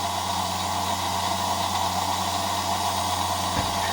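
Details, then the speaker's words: EMC lab 360° turntable with slip ring, run at higher voltage after adjustment: steady even mid-pitched motor hum, no knocks or speed wobble; drive motor turning smoothly, no sensor feedback. "So, it's working so far pretty good. And it is, of course, turning around."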